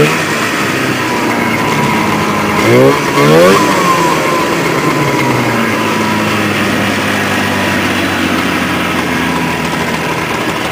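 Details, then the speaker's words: 1979 Polaris TX-C 340 two-stroke snowmobile, manually primed, engine filled with water again and drained: steady buzzing idle with one quick rev blip dropping back cleanly; keeps running, owner expects a rod may fail. "so this year when I tried to fire it up the motor wasn't frozen again so we drained it out and it's still running somehow"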